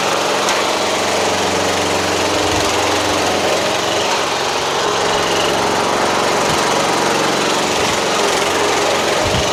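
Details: MTD Yard Machines hydrostatic lawn tractor repowered with a Toro 12.5 hp Briggs flathead, safety switches bypassed, new fuel line and filter, driving on driveway: steady even drone under load, no misses, knocks or surging; runs healthy.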